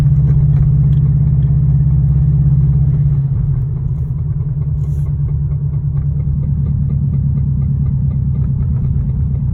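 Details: 2002 Subaru WRX boxer engine at idle: a deep, steady knock running through the low rumble, rod knock.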